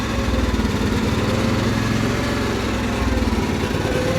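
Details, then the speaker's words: Cub Cadet 1330 mower engine, after a plastic piece was found in the bottom of the fuel tank: a lumpy, pulsing beat that suddenly starts surging up and down. The owner suspects the throttle cable or linkage needs tightening; not confirmed. "it's starting to surge all of a sudden now maybe it's the throttle cable itself"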